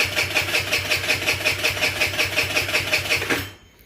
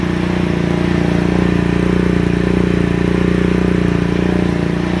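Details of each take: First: GY6 50cc scooter/mini sport bike with newly fitted carburetor: engine spins about 160 times a minute, coughing but never catching; carburetor bowl has no fuel yet, no start. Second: GY6 50cc scooter after carburetor swap, enrichment valve still on: steady even putter about 220 beats a minute, slightly high idle but smooth; idle screw then backed out; normal idle.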